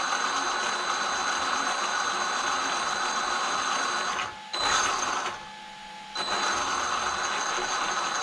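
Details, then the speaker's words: Traxxas X-Maxx RC truck after Cushdrive repair, which had been chewing spur and pinion gears: steady, even motor and gear whine with no surging high-low, apart from one short drop. Normal drivetrain whine; a slight tight spot remains. "you can hear how it's real consistent now it's not going high low high low high low like the last video yeah that's way better guys way better"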